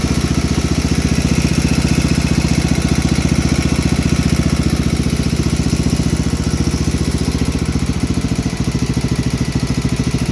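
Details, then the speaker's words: 1971 John Deere 110 patio tractor with 8 hp Kohler K181 single-cylinder, after head gasket replacement: steady, even beat at fast idle with no misses or puffing, plenty of blow-by and a slight valve tick; normal running, head gasket leak fixed. "Sounds like it has a little bit of valve tick in it. Way better without a head gasket leak."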